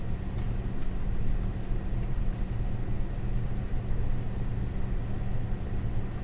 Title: ASUS Dual GeForce RTX 4060 EVO making strange noises